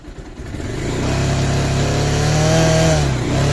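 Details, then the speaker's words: Bajaj Pulsar 220F, no vibration at idle, throttle blipped: a harsh buzzy rattle builds at higher revs around 5,000 rpm as the loose headlight fairing dome shakes; loose fairing vibration. "அதாவது இந்த 1, 2, 3 வந்து வைப்ரேஷன்லாம் எதுவுமே இருக்காது. கரெக்டாக இந்த 4, 5 தான் வந்து கரெக்டாக வைப்ரேஷன் வந்து அதிகமாக இருக்குது."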